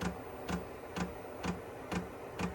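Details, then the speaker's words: Cheap Chinese diesel shop heater, test fire in a cold uninsulated garage: soft, even dosing fuel pump ticks about twice a second as it starts, a little smoke, no fire yet; normal fuel pump ticking. "Okay, it took a minute. You hear the fuel pump and starting to get a little bit of smoke."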